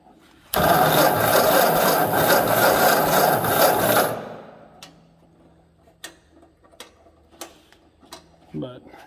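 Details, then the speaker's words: 1956 Ford 960 tractor, sat for years, first start attempt with choke: steady cranking for several seconds with no firing; cranks but won't start, owner suspects lost spark, later fired after cleaning the points and fitting a different battery. "it seems very likely that i could have lost spark"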